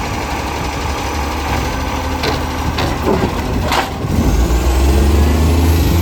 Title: City of Joondalup loud roaring accco SL061 exhaust leak